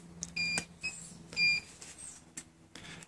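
Short high beeps about a second apart among handling clicks; the kill unit has lost contact with the bike's receiver.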